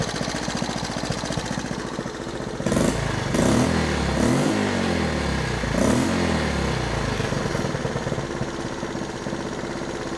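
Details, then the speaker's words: Three-wheeler single-cylinder engine after timing adjustment and a newly rebuilt carburetor, idle screw adjusted: it idles steadily and low, with a few short throttle blips, a normal idle. "It's doing a lot better. I think we had a timing problem, guys, but now we got a brand new rebuild carburetor on the thing"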